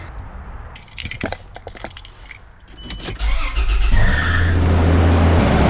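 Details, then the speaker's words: 80 Series Land Cruiser first start after valve cover gasket replacement: key rattle, a few seconds of cranking, then it catches and settles into a steady, even idle with no knocks; sounds good, normal start and idle. "Sounds good so far."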